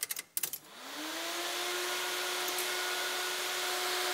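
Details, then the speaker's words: Engine off, only the Mod Max thermo fan running, with a sound meter reading about 37 dB background and about 81 dB with the fan on. A few clicks, then the fan spins up to a steady, clean hum, running normally. "I'm not going to start the car I just want to hear how loud the thermo fans so stop talking"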